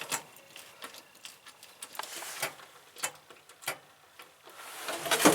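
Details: 1971 International Scout 800, AMC 232, ignition on with the engine not running: sharp, dry clicks at uneven intervals of about half a second; electrical tick, with the ignition switch or wiring suspected but not confirmed.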